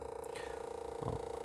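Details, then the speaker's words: Chinese 2 kW Webasto-style diesel air heater starting on a programmed timer: steady mid-pitched hum with rapid purring flutter from the fan motor, noisy at startup and expected to calm down afterward; motor noise not yet fixed. "donc je n'ai toujours pas rectifié le lui dise ce moteur donc elle fait du bruit au début après ça va se calmer"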